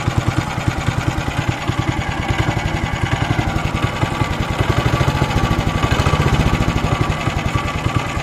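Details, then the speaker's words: Weima single-cylinder engine, barely made it home, idle beat quickening and slackening, revs drifting; carburetor suspected, possibly the speed governor; later a cracked fuel line found, fuel drained, carburetor to be removed and flushed. "Як ви зрозуміли що є поломка де будемо шукати оберти плавають скорше за все це карбюратор але може бути таке що і регулятор обертів теж вийшов з ладу"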